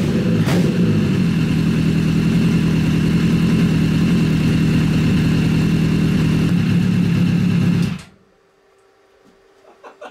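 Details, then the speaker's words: Honda CBR1000 engine in a buggy after rebuild for major cylinder damage, slight smoke: even steady firing, no misses or knocks, then clean shutdown; sounds stronger and idles better than its rough low idle before rebuild. "ah it's running it's right it sounds healthy it sounds so much better so much better than it did last time"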